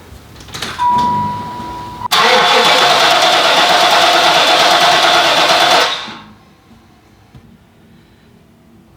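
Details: 1993 Cadillac Fleetwood Brougham, 350 V8, sitting up to ten years after a battery drain issue, new battery fitted: starter whirs hard about four seconds after a short tone, engine never catches; cranks but won't start, cause not yet known.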